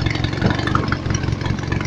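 Steady, even single-cylinder beat holds its speed without sagging under the alternator load; engine running healthy with power to spare.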